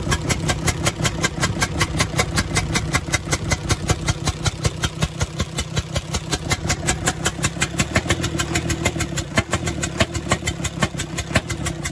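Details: UD Nissan PKD 411 truck with six-cylinder NE6 diesel idling; rhythmic chuk-chuk chuffing at two to three per second from the intake side, traced to a leaking intake valve, rocker and valve action checked first; valves later replaced.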